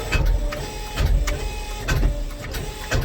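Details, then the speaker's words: Ford Fairmont with supercharged Coyote V8 swap after catastrophic failure: slow, heavy labored cranking about once a second, never fires; owner hopes the blower is locked up rather than the engine, plans removing blower belt to test. "see does not want to start so I'm hoping it's just the blower locked up and not the engine"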